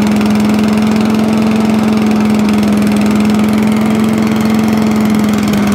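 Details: Allen chipper leaf shredder small single-cylinder engine, carburetor ultrasonically cleaned, started stone cold on choke: steady, even beat at constant speed with no misses or knocks; normal running.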